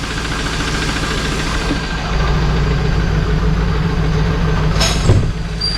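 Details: 2001 Pontiac Trans Am LS1 V8 idling right after Marvel Mystery Oil and Seafoam treatment: a rough, uneven low rumble with a faint ticking knock underneath, perhaps slightly quieter but still present. Cause unconfirmed.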